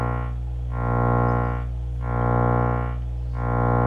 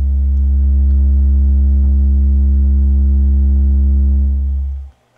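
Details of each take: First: Miller & Kreisel V-2B powered subwoofer, previously repaired STK power pack: low buzzy drone with a pulsing gritty edge under the bass tone; about 5–10 V AC ripple on the supply from defective main filter capacitors, fixed by replacing them. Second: Miller & Kreisel V-2B subwoofer after the main filter capacitors were replaced, first power-up with a 70 Hz test signal: a deep, steady tone holds evenly for nearly five seconds and stops cleanly, with no hum, buzz or distortion.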